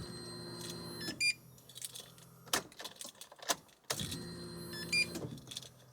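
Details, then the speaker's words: Nissan S15 Silvia after fuel system upgrade (new Aeroflow 525lph and 255lph pumps, Raceworks surge tank, new wiring): two short electric buzzes about a second each with key jingle, pumps cycling at key-on; normal fuel pump priming, tank not yet filled with E85. "you hear that so Cycles fuel pumps a few times"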